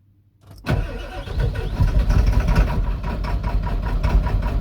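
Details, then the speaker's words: Ford 7.3L Powerstroke diesel with mechanical lift pump (no electric pump), new fuel tank and filter, reprimed after sitting days with empty fuel bowl; short crank catches into rough, uneven low rumble, then stalls: air in system, filter ran dry. "And it's got air in the system. It'll breathe out. She stalled out. Well, that means her filter run dry, but we should be pumping."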